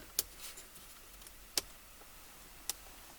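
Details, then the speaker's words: 1977 Corvette barn find, first electrical checks after long storage: only three slow, uneven dry ticks in over three seconds from the turn signal; owner suspects it needs a new flasher. "we could try think that needs a new flasher"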